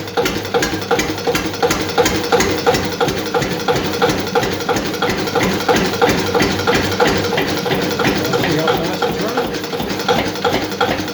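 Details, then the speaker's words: Old Witte diesel at very slow idle after timing advanced; lumpy idle with sharp tick about three per second, occasional diesel knock; injection timing suspected slightly too advanced for slow running, unconfirmed. "what i think we should do [Music] the timing might be just a tad too advanced okay but that's why it started so good"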